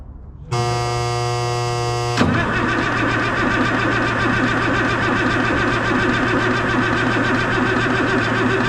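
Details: M35A2 deuce-and-a-half diesel, hard to start and lacking power, injector lines loosened to check injection timing: the starter cranks steadily at about three and a half turns per second, but the engine never fires; cranking, no start.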